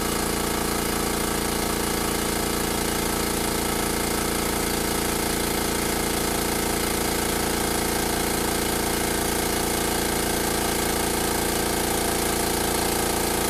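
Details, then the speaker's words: Makita MAC700 air compressor, new out of the box (2 hp, 2.6 gallon tank, oil-lubricated), filling from 0 psi to cutoff at about 130 psi in about 59 seconds; steady, even pumping thud near 170 a minute over a low constant drone; normal compressor running. "So there you have it. It's about 59 seconds, just under a minute to go to, looks like about 130 psi."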